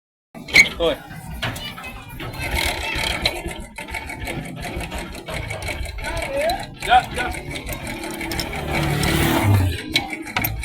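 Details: Bajaj Boxer 100S single-cylinder idle with light quick metallic clatter like a sewing machine: timing chain noise, fixed by replacing timing chain, tensioner and tensioner rubber.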